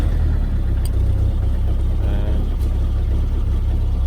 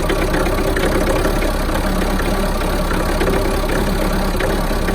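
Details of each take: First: Mahindra Roxor diesel (96.4 miles, 21 hours) just after a cold start with the intake grid heater: a deep, lumpy chug at idle. It idles rough at first and should smooth out after about a minute, which is normal. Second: Mahindra Roxor diesel cold start in winter: loud clatter at idle with an uneven, lumpy, missing beat; runs rough for the first one to two minutes after starting, then settles out.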